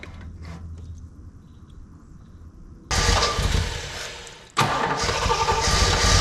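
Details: 1976 Jeep CJ5 304 V8 restarted on fuel poured into the carburetor bowl, because the carburetor gave no fuel when the accelerator pedal was worked: quiet, then it catches about three seconds in and settles into a steady, even run with a brief rev. Normal, healthy idle.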